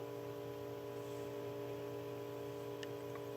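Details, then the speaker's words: Restored Emerson 45641 "Longnose" fan with varnished windings and speed coil. Steady low hum with a faint even whir, no grinding, knocking or whooshing; bearings were in great shape, runs smooth and quiet. "it's a really smooth runner. There's not much bearing noise. The bearings were in great shape when I took it apart."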